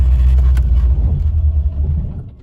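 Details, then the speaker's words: C4 Corvette V8 that runs, sputters and dies, idling better after plugging a disconnected vacuum line: deep idle rumble sags and fades when put in reverse; still stalls in gear, cause unconfirmed. "yep still done it let's see if i can get it at least it's idling start it up let me see if i when i put in reverse it wants to die"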